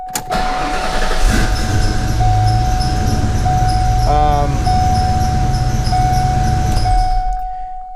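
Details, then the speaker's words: 1992 Fox body Mustang with a starting-solenoid no-crank problem that unexpectedly fixed itself: short crank, engine fires quickly and holds a steady idle while a chime tone sounds throughout; normal crank and start. "and it starts um that was not supposed to happen"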